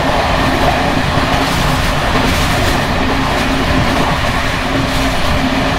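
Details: Bd264 481 coach (built 1979), Görlitz V bogies many kilometres since last major maintenance, evening express on rough line 190 near Hluboká nad Vltavou–Číčenice, heard from compartment or open window: loud continuous clatter and rumble over rail joints as worn brake rigging bounces and rattles.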